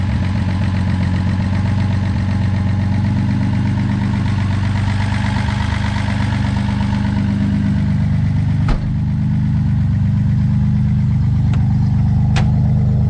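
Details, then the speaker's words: Finished 260 project car, said to be running great. Deep, steady idle with an even low rumble and only a couple of light clicks: normal idle. "We've kind of gotten it all in, just a couple of little things to do, but it's running great."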